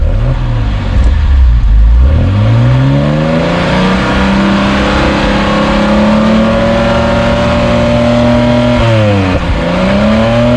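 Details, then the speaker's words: 1971 Mercedes-Benz 280 SE (W108) six-cylinder with mechanical fuel injectors just tested and cleaned, first start afterward; blips up and back to idle cleanly with no missing, a little smoke, and the owner suspects it is running slightly rich. Normal running. "Oh yeah. No missing. I see a little smoke here. Could be running a little rich."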